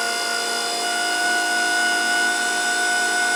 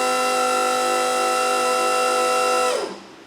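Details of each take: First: Electric-hydraulic pallet stacker after rewiring with larger wire, lifting forks about 10 feet: steady whine turns harsher near top before cutting out, owner says pump running out of fluid 12-16 inches from top; pump strain near full lift. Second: Electric-hydraulic pallet stacker lifting about 10 ft after rewiring with a larger wire: steady, even pump-motor whine at one pitch, then a smooth spin-down. Wiring no longer hot; battery needs charging and fluid topping up. Normal pump run.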